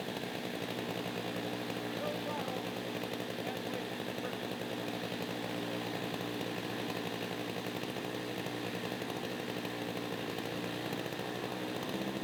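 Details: Stihl MS361 chainsaw after muffler mod (reduced back pressure): steady high, buzzy two-stroke wail at high revs, no bogging or surging; owner suspects it runs leaner and needs high-speed carb adjustment, unconfirmed.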